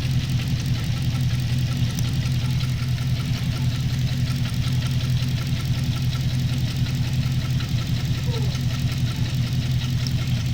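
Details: Holden VE SSV V8 idling with a deep uneven lope and a light ticking on top; check engine light came on suddenly on the freeway with a misfire, and a bent pushrod was found on cylinder 7.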